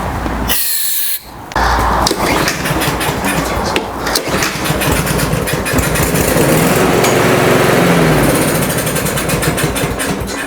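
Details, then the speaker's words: Briggs & Stratton mower engine with a plastic carburetor, previously left with old pump gas. With carb cleaner sprayed into the intake it catches on a few uneven beats, sputters and dies, confirming the carburetor isn't delivering fuel. "this is all I'm getting, guys, from it. It took a few pulls to get that carb cleaner in there. Definitely a fuel issue here."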